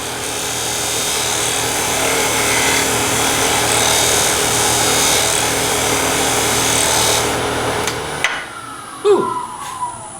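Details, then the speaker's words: Bowl scraper on a spinning wooden bowl on the lathe: rough steady scraping rasp, chatter from vibration; a second pass may still sound rough until earlier marks are cut away. "you're eliminating vibration you go back and make that cut the second time sometimes you hear the vibration a second time it's the marks on the wood that are still there"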